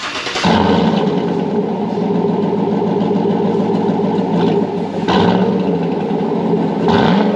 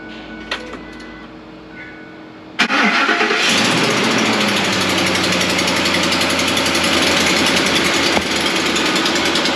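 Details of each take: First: Chevy Tahoe 5.3 V8 (new reman warranty engine with new phasers), started after a used Corsa exhaust was fitted: deep, steady burble with light blips and no rattles, ticking, banging or exhaust leaks. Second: Chevy Tahoe 5.3 V8 new warranty engine with phasers installed, cold start after two days parked; sharp quick ticking from exhaust manifold leak, no knocking, cold-start rattle seemingly gone.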